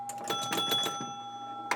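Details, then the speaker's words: Electro-mechanical pinball machine after fixing a stuck-on 50-point relay under the playfield: hitting the rollover gives crisp chimes and quick relay clicks in bursts, no lingering buzz; the 50-point relay now pulls in and releases normally. "so if we hit this roll over here see yeah and you hear that buzz that's that's that 50 point relay is what that is"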